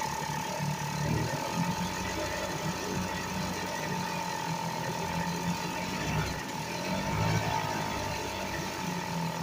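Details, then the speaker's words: 1975 Sears Gamefisher two-stroke outboard after carburetor repair, running in a water test barrel on a couple cups of gas: buzzing steadily at low speed, slightly uneven; carburetor still needs adjusting. "I can see that if that runs runs but it's gonna need some adjusting and such on it"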